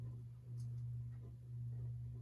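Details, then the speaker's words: NuTone 52-inch Hacienda ceiling fan, antique brass, on low speed with transformer-based speed control: steady audible hum with faint rubbing; bearings somewhat noisy but not stiff. "Go ahead and fire it up on low. Does have a pretty audible hum. The bearings do have some noise, but they're not stiff by any means."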